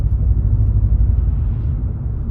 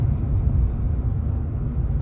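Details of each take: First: 2019 Chevrolet Silverado V8 with aftermarket exhaust and Range Technology AFM disabler fitted, climbing a hill under load: deep steady booming drone; engine still drops into cylinder deactivation despite the disabler. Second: 2019 Chevrolet Silverado V8 with Range Technology AFM disabler fitted; deep, even low rumble at steady cruise with no droning hum coming and going, engine staying in V8 instead of switching to four cylinders.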